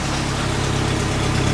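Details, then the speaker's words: Jeep after rear axle repair, jacked up, running in gear with gear lube: steady low drivetrain rumble with no whine, howl or grinding; the axle bearings, which were loud before the repair, now sound quiet and healthy. "It made so much noise I couldn't stand to be in the cab of the thing. So we're just going to kind of work the bearings in a little bit with the gear lube that we got in there. Sounds beautiful."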